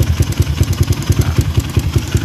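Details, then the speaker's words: Kawasaki KLX 150 fitted with a PWK carburetor, ticking when cold: sharp ticking about six per second on the single-cylinder idle beat, resembling cam chain tensioner noise but from the carb; mechanic suspects weak slide spring; carburetor slide rattle. "Tapi kalau saya dengar dari tensioner kayaknya enggak gitu ya. Saya malah fokus di suara sini. Tuh. Kayak dari karbu gitu."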